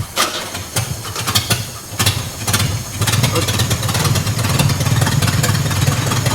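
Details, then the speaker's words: 1963 Pontiac Tempest LeMans convertible, Trophy 4 four-cylinder (half a 389 V8), four-speed, first start on gravity-fed fuel: cranks, catches and settles into a loud, raw, uneven rumble with exhaust disconnected at the manifold; needs an exhaust. "okay so we got a running a hot rod i guess we're running something running something it needs an exhaust"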